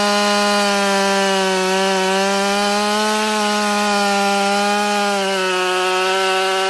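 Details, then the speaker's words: Husqvarna 572XP autotune chainsaw held at high speed in a cut in rotten white pine after a couple of cuts; pitch wanders then dips near the end as the autotune carburetor settles, uneven running. "i don't know if you can hear the saw at the beginning it was trying to figure stuff out"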